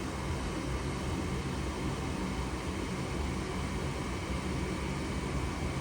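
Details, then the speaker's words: Goodman furnace with open pressure switch code (3 blinks), retried after reseating pressure switch connectors; inducer fan whoosh and low hum, igniter comes on but gas never lights and it faults again. Inducer running, furnace still faulting. "You see? Oh, you see now the igniter is on. We're just waiting for the gas. Uh-oh. Nope. Oh, what happened? Let me see. Still giving me the problem."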